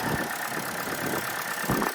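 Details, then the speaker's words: Auction car, either the 2004 Infiniti G35 or the 2011 Chevy Cruze, idling in cold weather, heard at the engine bay: engine shaking, with an uneven idle and irregular dips and stumbles; a misfire is suspected. Rough idle. "Alright, the engine is shaking. Probably have like a misfire or something."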